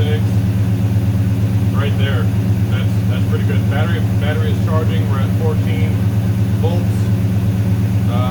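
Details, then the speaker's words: 6.1 HEMI V8 swapped into a 1970 Coronet, cold: deep even burble, idle slightly high near 1,000 rpm, no misses or knocks, air-fuel ratio rising from 11.3 to 13.8, oil pressure 67 psi. Normal idle. "idle's a little high we're at 10 for a thousand rpms essentially i think it might come down once uh once it warms up a little bit"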